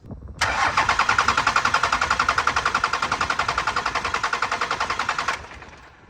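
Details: 12 valve Cummins with big injectors and upgraded fuel pump that shut off and won't restart; fuel pump and shutoff solenoid powered, injectors being bled; starter cranks evenly about 3.5 turns per second for five seconds, never fires.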